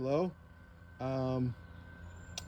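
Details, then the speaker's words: 2021 Harley-Davidson Heritage with generic low-tone aftermarket horn temporarily clipped to bike harness, dangling unmounted: two short deep steady buzzing blasts, a little louder than wanted; horn sounds right. "It is a little louder than I want, but you know, I think it'd be good for the highway."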